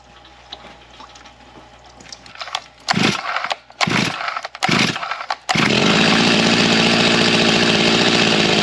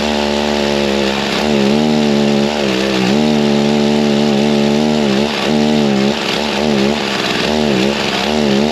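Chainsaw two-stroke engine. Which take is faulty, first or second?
second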